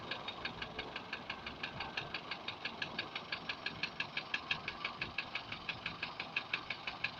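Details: Daihatsu 1.3 turbo engine: sharp even ticking knock about three per second at light idle; engine knock, cause not yet determined.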